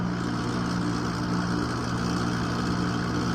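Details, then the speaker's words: Six-year-old (2016) AC outdoor condenser unit, not cooling, running very loud: steady low drone with strong humming tones; pressure will not pull down below 188, compressor failed prematurely. "压缩机的问题，压力下不去了。压缩机坏了。"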